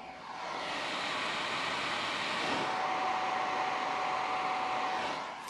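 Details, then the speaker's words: Creality Ender 5 S1 3D printer at standby: constant loud airy whoosh with a thin high tone from the stock power supply cooling fan, which screams as soon as the machine is on, unlike older quiet Creality supplies; owner plans to replace it. "in fact they didn't make any noise when the machine was at standby versus this one as soon as you turn the machine on it's screaming"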